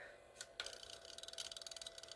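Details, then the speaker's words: Old Lionel whistling tender on the track, whistle button pressed: fast even ticking about fourteen per second with faint hum, no whistle motor spin; suspected contactor not working properly, cause unconfirmed. "and it's doing the same thing as it was before so let's see i think the contactor on the uh magneto thing isn't quite working"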